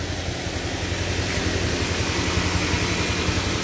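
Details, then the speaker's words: Car with flat battery jump-started from a running motorcycle via cables after some time charging: car idles smoothly and evenly with motorcycle still running and connected, no problem. "nah ini kita starter sambil motor tetap menyala ya nah ini motor tetap menyala tidak masalah ya masih tersambung"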